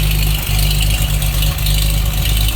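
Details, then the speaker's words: 1936 Chevy pickup on chassis without exhaust system, dipper-type oiling at about 2–3 psi oil pressure: loud open-pipe idle, deep and uneven with dips and stumbles; engine idles rough, cause unknown. "can hear it runs idles kind of rough. I don't know why"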